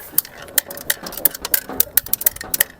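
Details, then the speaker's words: Unpowered, just-unboxed 140A IGBT inverter gasless MIG/stick welder tipped in its case: sharp, irregular metallic clicks and ticks from spare parts rattling loose inside the housing. "Uh-oh. Hear that? We got spare parts. That's never good. I'm going to have to open this thing up before I plug it in."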